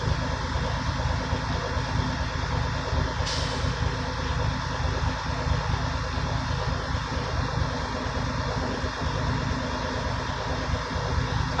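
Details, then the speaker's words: Diesel truck at idle during an in-cab air brake inspection, tanks rebuilt after fanning to about 90 psi: one sharp air burst as the compressor governor cuts out at 120–140 psi at full pressure, as expected. "And then once you know that it's fully charged, is when you hear the burst of air, and that's when the governor cut kicks in."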